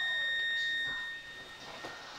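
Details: 1950 AN/GRC-26 military radio with weak tubes awaiting replacement and one faulty stage: steady high whistle near 1.9 kHz with a weaker tone above, then fading; cause unconfirmed.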